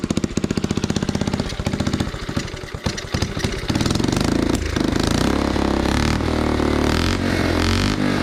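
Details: 1980 Honda CT70 minibike, first start attempt after replacing the fouled spark plug, hot-wired off the magneto: small single fires with rapid popping beat, then settles into steady even idle; engine runs.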